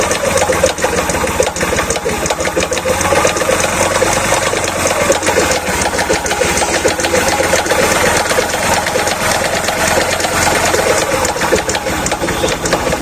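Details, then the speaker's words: Bajaj Platina motorcycle engine at idle after key-on: a loud fast metallic clatter from inside the engine. Another mechanic diagnosed a broken crank bearing; the engine is then opened from the top, cam shaft first. "चाबी switch को on करेंगे और यहां पर आपको सबसे पहले इसकी आवाज सुना देते हैं कि गाड़ी में किस तरीके से खड़खड़ हट की साउंड आ रही है"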